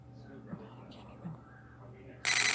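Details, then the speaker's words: Out-of-warranty Samsung Galaxy Tab A tablet, already factory reset: quiet, then a sudden loud, harsh steady buzz as the screen splits, followed by a freeze and reboot. Cause unknown. "it'll do it this loud noise and then it will restart for no reason just out of the blue"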